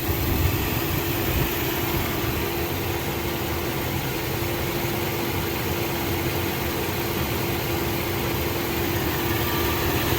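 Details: Mercedes M119 V8, rebuilt and with about 3,000 miles since, idling after its first oil change with 8.5 quarts of 5W-40, gives a steady, even low hum with no ticks or knocks; the air injection pump has switched off, so the noise is gone.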